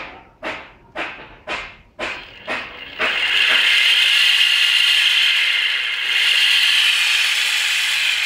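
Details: GNG 48V e-bike motor: after a few taps it runs with a steady, raspy, high-pitched whir. The sound changed suddenly after riding in rain, and the owner suspects rusted bearings.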